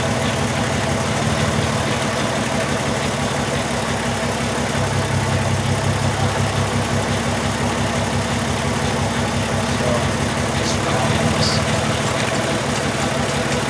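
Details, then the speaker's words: 2002 Volkswagen Jetta VR6 after injector replacement: idle has an uneven, loping beat with a stumble every few seconds, a misfire from cylinder 1 dropping out; P0201 cylinder 1 injector circuit fault persists. "okay so Tony put the injectors in and uh he called me and said he still has a misfire so here we are"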